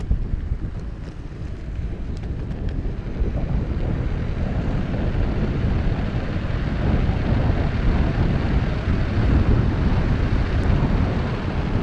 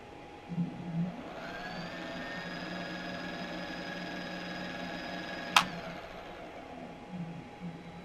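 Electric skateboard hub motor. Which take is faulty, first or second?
second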